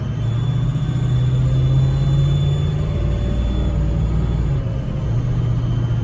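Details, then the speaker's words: Ford 6.0 Powerstroke diesel at idle after turbo seal rebuild: deep rumble with a thin squealing whistle that changes with exhaust pulses, from an exhaust leak at the up-pipe/Y-pipe bellows, likely a weak spot disturbed when the Y-pipe was moved; Y-pipe replacement planned. "so we have an exhaust leak now on our up height our y-pipe area where those bellows are so uh we got some more content coming on this replacing this y-pipe all right so you'll hear a squealing sound it changes with the exhaust of course"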